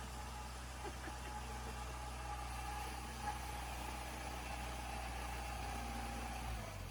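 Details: 1987 Dodge Dakota shop truck, carbureted with choke, electric fuel pump clipped to the battery: steady, even low idle rumble with no knocks, misses or hunting. Healthy idle.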